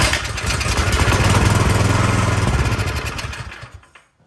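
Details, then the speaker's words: Cub Cadet snow blower that would not start, cover off, key in run: engine catches on starting fluid sprayed into intake, quick even pops for about three seconds, then dies as fluid runs out; fuel starvation from dirty carburetor, carburetor to be cleaned. "all right so we just got to clean this carburetor and batten so pop this hose off pop your prime line hose off gotta disconnect the gas line set that aside"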